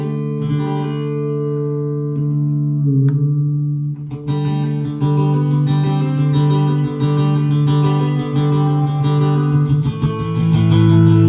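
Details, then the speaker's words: Electro-Harmonix Vintage 16 Second Delay, repaired after a no-delay complaint, set to fast and forward with feedback and blend about halfway: plucked guitar notes return as clean, even repeats with no crackle or dropouts, so the delay is working normally. "That sounds pretty good."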